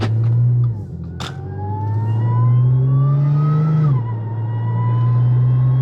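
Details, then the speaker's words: Audi S4 B8.5 driving after shop pressed in new wheel bearings (old ones shot, ~100k miles): engine note rises smoothly through the gears with no speed-linked growl or hum; previous bearing noise gone, normal. "Yep, so it definitely was the wheel bearing. Oh yeah, that sound is gone."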